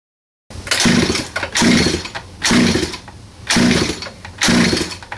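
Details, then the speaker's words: 47cc Chinese pocket bike two-stroke, fuel on, choke open, some throttle: catches in rough bursts about once a second and keeps bogging out instead of revving; carb jet clogging suspected, not confirmed. "I'm going to start it up for you just so you can see um it's just bogging out"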